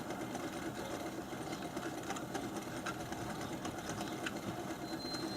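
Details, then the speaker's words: Pump that vibrated, retested at 450 speed setting with pulsing from high vacuum: quiet running with a distinct soft, rapid rubbing chatter inside the pump, which later quieted down; cause not yet known. Internal rubbing noise. "now we're down to 450 there's a pretty distinct rubbing sound inside of the pump that you can hear"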